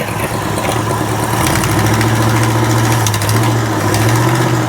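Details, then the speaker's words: Abandoned 1968 Ford XL, carburetor failing, fuel filter not filling from the tank: uneven, lumpy idle with a wavering low beat that sags and recovers, barely enough fuel coming through to keep running; fuel starvation at idle. "I know there's fuel in there cuz there's a little bit of fuel. Barely enough to keep it running coming through."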